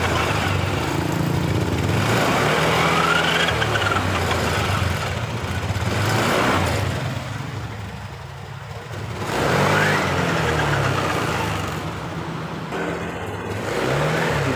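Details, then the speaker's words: Honda Beat LED Deluxe scooter with a code 7 history. Revs up and down, but the note breaks up "blebek blebek" as the throttle first opens, then clears. Intermittent sputtering misfire under acceleration, cause unconfirmed; a loose EOT sensor socket is suspected. "Ini dias awalnya merebet seperti ini. Nah, ini. Nah, itu blebek blebek blebek gitu, Bro."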